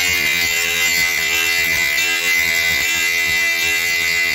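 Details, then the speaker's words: Parkside PGS 500 A1 die grinder, 500 W, 220 V brushed motor: steady high-pitched whine with bright even hiss under load, no surging or rattle. Normal die grinder operation. "Voyons maintenant comment cet appareil fonctionne et broie."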